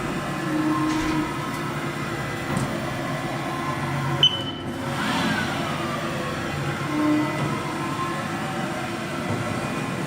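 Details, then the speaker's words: 2000 Haas VF-3 vertical machining center departure run-through, Z, Y then X axis traverse (X-axis ball screw just replaced): quiet servo hum with soft rising and falling whine, smooth, no grinding or knocking; healthy. "First thing we're gonna do is we'll go ahead with the Z-axis. Sounds good. And we'll go with the Y-axis right now. And we'll go with the X-axis."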